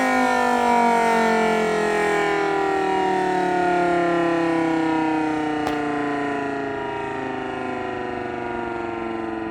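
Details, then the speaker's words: Federal Signal Model 2/2T siren test: loud clean wailing tones sliding down in pitch as the rotor winds off, no rattle; owner says it sounds better now and not like it's dying. Normal siren operation. "So Model 2 sounds like it's doing better now. It doesn't sound like it's dying, but there's that."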